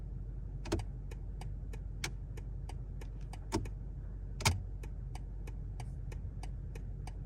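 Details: BMW G70 2023 760i, in cabin while using turn signal: regular light ticks about three a second with sharper clicks from steering column; persisted after dealer replaced turn signal assembly, column part and spring; cause unknown.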